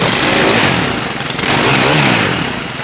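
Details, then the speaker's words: Stihl KM131R Kombi engine, cold first start of the morning after choke knob replacement, full choke and three primes: strong, even buzz climbing under throttle as the automatic choke releases, settling without stumbling; runs cleanly. "So as soon as it starts and kind of runs really rough, we're going to go ahead and release the choke and give it some throttle."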